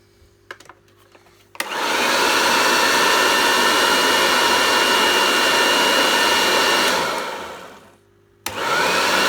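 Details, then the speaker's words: Restored Goblin Electra vacuum cleaner, fitted with a Kirby belt, switched to low: motor spins up to a smooth steady whine, winds down and restarts cleanly, no rubbing or rattles; normal running. "Wow, that sounds really good. I'll put it on low."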